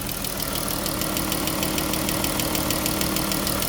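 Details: Jeep Grand Cherokee, V6, ticking complaint. Quick, even light tick about two per second over a steady idle, suspected valvetrain; it seems to come from bank 2 but is hard to locate.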